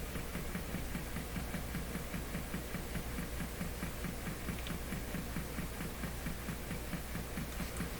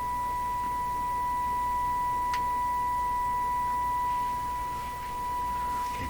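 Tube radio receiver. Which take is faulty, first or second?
first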